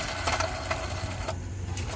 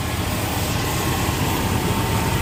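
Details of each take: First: 1997 Chevy C2500 5.0: gritty, uneven rattle with irregular ticks as the loose, screeching idler pulley spins free, its bearing shot with shavings falling out, which made the serpentine belt pop off; pulley replaced. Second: 1997 Chevy C2500 5.0 V8 after replacing the loose idler pulley that threw the serpentine belt and installing the new belt: an even, low idle with no squeal or chirp. The front accessory drive sounds quiet and healthy.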